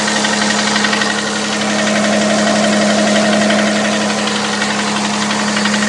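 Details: 6GEA engine at steady idle with a sharp, regular tapping of about four knocks a second over the engine note; knock inside the engine.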